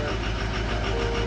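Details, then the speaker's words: Ford 6.0 Powerstroke diesel, sat for a week, after quick-fix attempts, injection pressure around 1300 shortly after start, not yet warmed up: clattering idle with an uneven, lumpy beat; runs rough, cause unclear. "Still going. It seems too rough."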